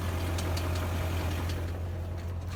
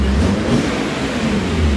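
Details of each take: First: 2001 BMW E39 M5, S62B50 V8, about 164,000 miles: low, steady V8 idle rumble with a faint irregular tapping underneath. Confirmed connecting rod bearing failure knocking at idle, slightly premature; rod bearings to be replaced. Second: BMW E39 M5 S62B50 V8, which had spun a rod bearing and damaged the crankshaft, running after rod bearing replacement: a deep, even rev with a smooth build and no knocking; sounds great, makes lots of power; healthy engine.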